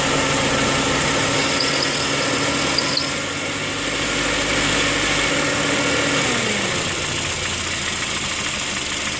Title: 2008 Honda Fit Sport M/T Engine Knock